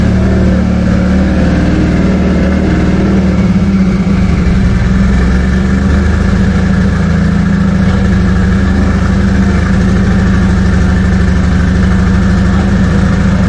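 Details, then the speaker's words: Toyota 2JZ engine, first start after project build: strong, even hum with no misfires but idle holds noticeably high; vacuum leak or misreading sensor suspected, not confirmed. "think so it was revving a little high we're contemplating a possible vacuum leak or maybe a sensor not reading correctly"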